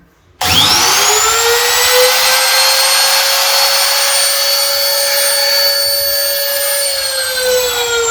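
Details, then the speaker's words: Homemade 3x4 CNC router with a trimmer-type router spindle (fan-cooled) switched on via an added switch box after the spindle fix: high steady whine spinning up quickly, even pitch, running cleanly. "இப்போ வந்து பார்த்திங்கன்னா தெரியும், இந்த motor வந்து பார்த்திங்கன்னா நல்லாவே sound வந்து பார்த்திங்கன்னா வருது."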